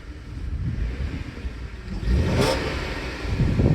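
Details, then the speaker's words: Jaguar S-Type 3.0 V6, microphone away from exhaust: soft idle swells into a quick rev blip and settles cleanly, no rattles; healthy engine. "hope you can hear that but that sounds lovely"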